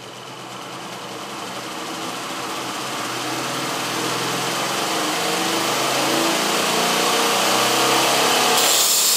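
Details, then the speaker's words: General 2x42 belt grinder refitted with a salvaged treadmill motor and variable-speed controller after the original motor's start winding shorted; after a brief start delay it runs at minimum speed with a smooth, even hiss and whirr, no slapping or grinding; normal. "There's a bit of a time delay with the treadmill, and now we start at minimum speed."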